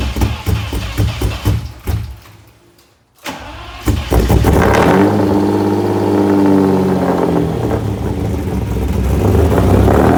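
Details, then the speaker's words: Lamborghini Diablo V12 after completed engine work: long rhythmic cranking, pause, more cranking before it finally catches and revs; hard start, cause not evident. "But I got this problem on startup."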